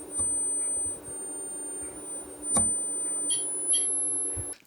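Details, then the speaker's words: Ceramic capacitor soldered to a board driven with AC from a signal generator at about 2 to 4 kHz: thin steady high-pitched tone stepping up in pitch, capacitor singing from the piezoelectric effect. "セラミックキャパシタに交流電圧を加えると音が鳴りましたこれは圧電効果によるものです"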